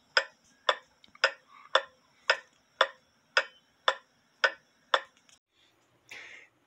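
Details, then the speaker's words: Drop dial case clock, wooden plate, double fusee movement, heard through an amplifier after shortening the suspension leader wire: crisp even ticks about twice a second; running fast, gaining about four minutes, so the pendulum can be lowered. "in one half hours time span it has gained about four minutes which is a good thing because now I can lower the pendulum to adjust the time"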